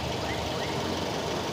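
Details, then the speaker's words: Used car engine at idle with the AC on: steady, even idle with no groaning or growling from the AC compressor; normal AC compressor operation at idle. "masih masih normal Engak enggak ada suara ngoroknya ya enggak ada suara ngoroknya di bagian kompresor"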